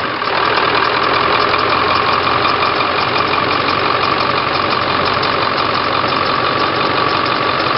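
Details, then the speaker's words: 2001 Ford Super Duty 7.3L diesel, just fitted with DB Electrical 220A alternator replacing stock 110A, idling: diesel clatter with thin steady chirping squeal; squeaky belt, owner says water pump needs fixing; voltage good. "oh he smokes that squeaky now we got good voltage squeaky belt have to fix the water pump at some point"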